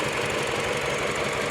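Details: Mini Cooper at idle with pending misfire codes for cylinders 2 and 4, ignition firing on all cylinders per scope: uneven stumbling pulse with irregular thumps through the exhaust note, a steady misfire.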